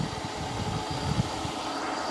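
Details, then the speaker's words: Mercedes S600 V12 after new belt, lower radiator hose, idler pulley, greased idlers and new antifreeze; ABC system kicked in: smooth, even idle rumble with no knocks, ticks or squeals; much better than before. "but it sounds good so much better than before so much better than before"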